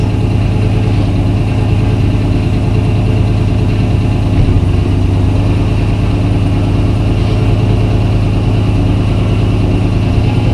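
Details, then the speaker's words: Car's first start after sitting a long while, with fresh gas, transmission fluid topped up, battery reconnected and fuel pressure confirmed: deep, even rumble at a steady idle with no knocks or misses, judged healthy. Rear brakes still need bleeding. "okay well that sounds healthy sounds healthy"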